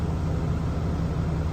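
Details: 2020 Ram 2500 Cummins diesel idling just after an oil and fuel filter change with aftermarket filters. A steady, even low rumble with no knocks or misses; a healthy idle.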